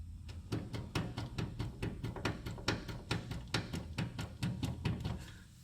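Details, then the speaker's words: 2003 Toyota Tacoma, wheel rocked by hand: sharp metallic clunks about twice a second from large play in the worn outer tie rod end; replacement recommended immediately. "you see that large play I will try one more time with more detail and this is very bad it's a large play and I did recommend it to the customer to replace this part immediately"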